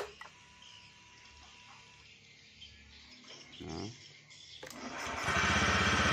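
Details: Honda BeAT eSP scooter that would not start with fault code blink 52 (CKP sensor): quiet, then cranks, catches and settles into a steady even idle; normal start and idle.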